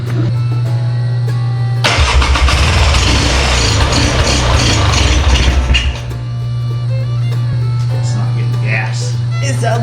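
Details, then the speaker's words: 1997 Polaris Scrambler with a new spark plug, before carburetor cleaning: about four seconds of rough cranking with brief firing that dies away; it won't keep running, apparently fuel starvation, and the carburetor was later found full of water. "I took the carburetor off and cleaned it they had a bunch of water in it blew air through everything adjusted the needle goes down further"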